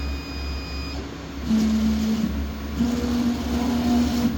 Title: Y axis abnormal vibration sound